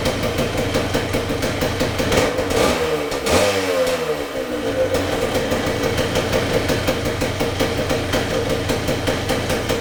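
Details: 1978 Yamaha DT175MX two-stroke, very first start after complete restoration with new crank bearings and seals, new piston and rings and new small-end bearing: crisp burble at idle, one clean rev rising and falling smoothly, even firing; normal idle and revving.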